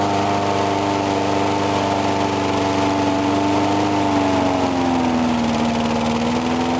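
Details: Briggs & Stratton small engine, cold start at 35°F after sitting, with the carburetor not priming fully. It starts on the first pull into a steady drone with a clean, even tone that dips and settles, no misses or knocks: normal running.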